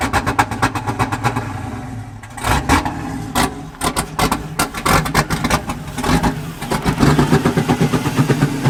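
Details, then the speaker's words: Chevy LS-swapped drift car V8, first start after catching fire at a drift event: rough, lumpy idle with loud exhaust cracks and heavy backfiring, black smoke, dumping fuel. "Smoke everywhere. What is smoking? Yeah, bro. Black smoke. Oh god, it's dumping fuel. Backfiring heavy too. That was loud."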